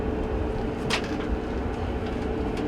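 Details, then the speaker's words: Whirlpool LGB6200PQO gas dryer running on high heat after replacing the gas coils and reinstalling the blower housing: steady low rumble and even hum, no shakes or rattles; igniter glows and flame lights. "now we will go down to our little window here and make sure everything's working right everything sounds good there's no shakes or rattles"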